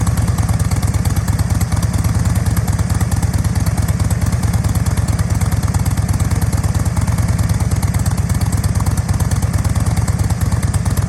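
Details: 2007 Thunder Mountain Keystone Softail chopper, 103ci Screamin Eagle Harley engine, about 1,500-1,788 miles; a deep, even potato-potato beat at about three pulses a second that holds steady with no knocks or misses, a healthy idle.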